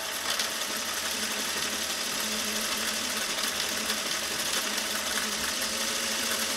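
Fast, even buzzing whir from a sewing machine with a light loose chatter on one side; something is loose, not yet located.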